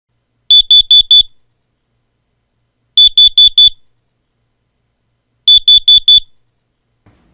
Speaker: sound you're hearing is four beeps and which is your carbon monoxide alarm versus your smoke detector alarm which is only three beeps